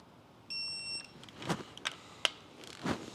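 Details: Subaru EJ257 STI engine rebuild, electronic torque wrench set to 30 ft-lb on first-round bolts: a single clean high beep of about half a second, then clicks and clanks of the wrench in a quiet room.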